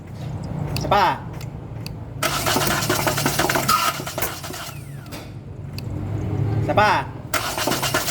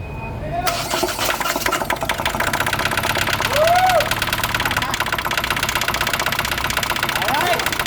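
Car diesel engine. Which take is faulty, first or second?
first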